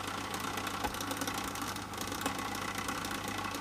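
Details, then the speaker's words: 1980s Sanyo MWS400F mini boombox under repair, short tape playing: constant low hum with rough whirring rattle and vibration from the cassette mechanism; quiet without a tape, cause not yet found. "try a short tape in there and that's still making a lot of noise"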